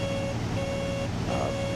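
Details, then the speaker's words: Bonanza in flight with landing gear up and power pulled back below the throttle-position threshold. A steady mid-pitched gear warning horn honks on and off about every half-second to a second over engine drone, with the warning light flashing. "The gear's up. I'll get the gear warning horn. You can kind of hear it honking away."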